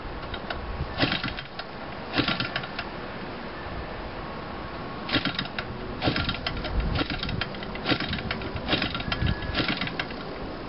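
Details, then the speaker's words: Hand-cranked gasoline engine of unknown size with magneto ignition: irregular bursts of sputtering firings while cranking, never catching into a steady run, so it fails to start; sounds close to starting, cause not confirmed, magneto timing against compression being checked. "it sounds like it's getting ready to start because it has like a sweater to it"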